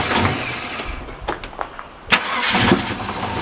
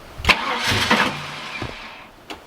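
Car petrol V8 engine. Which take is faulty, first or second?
second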